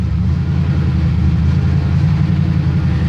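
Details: 1978 Chevrolet C10 pickup, cold start after about three weeks sitting, around 90°F outside: deep, even V8 rumble, steady low beat, no knocks or misses; healthy cold idle warming up.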